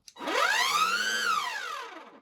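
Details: GTech Air Ram AR2 22 V cordless vacuum with a fitted dust box and battery: a whistling squeal rises as the motor spins up, holds high, then falls, with no brush thrum because the brush bar isn't spinning.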